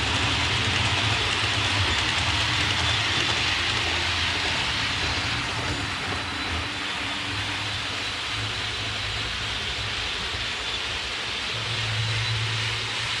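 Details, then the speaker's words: Hornby APT coaches after about two weeks of use: a steady high squeal over the rolling rumble throughout the lap, caused by dirty wheels on the copper pickup contacts. "all right so there you heard it uh squeak around the track so what i'm gonna do next is basically uh go from one end to the other and uh clean the wheels and clean the uh copper contacts"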